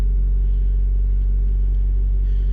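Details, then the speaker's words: 1997 Toyota Tacoma 2RZ-FE after exhaust repair in P0171 lean-code diagnosis, cold at 54 degrees in open loop: smooth steady fast idle around 1400–1500 rpm, no misses; idle set high, to be lowered to spec. "1400 RPM she's idling a bit High but I had adjusted it just so that uh people could yard drive it"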